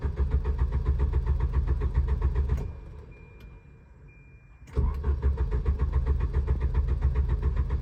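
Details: Volvo 740: starter turns the engine at a steady chug of about four beats a second, stops, cranks again, never catches; crank no start.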